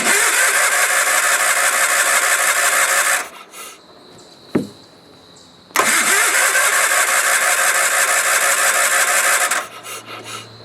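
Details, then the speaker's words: Sears Craftsman FF/20, not run since 2009 revival, fresh fuel after siphoning crud from tank, choke pulled: two long spells of steady starter cranking, about three turns a second, never fires; only fuel pump working, cause not confirmed. "Let's see if it'll run by itself. Pull the choke. Where's the choke? Is that, no. Okay. And there it goes. Nothing."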